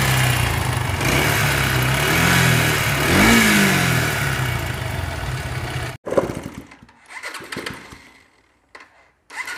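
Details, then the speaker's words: Bajaj Pulsar AS 150cc single revs up and back with harsh gritty grinding like a mixer machine, then shuts off; rubbing when clutch pulled; teardown found jammed bearing and clutch assembly needing replacement; worn internals. "মনে হয় যে কারো সঙ্গে কোন ঘষা খেয়ে বন্ধ হয়ে যাওয়ার চাচ্ছে এরকম ভাবে অবস্থা মানে একটা কি বলবো মিক্সার মেশিনের সাউন্ড এই ইঞ্জিনটার"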